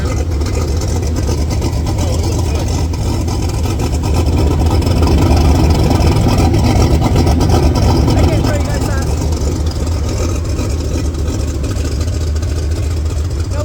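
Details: Turbocharged Pontiac 400 V8 LeMans, checking for oil leaks: deep, steady idle with even low burble, no knocks or misses; normal idle.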